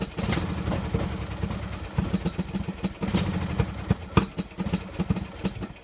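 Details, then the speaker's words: Poulan riding tractor engine: lumpy uneven idle with surging loudness and irregular clatter; ran bad even after spark plug change, then wouldn't restart; owner suspects the carburetor. "i changed the spark plug i thought was uh the spark plug on it still was running bad it got to a point didn't want to turn back on"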